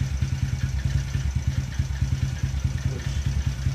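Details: Taotao 125 single, re-jetted, treated with Marvel Mystery Oil, flywheel bolt checked, not yet warmed up: steady low thump idle with a faint irregular clatter; source of the extra noise unclear.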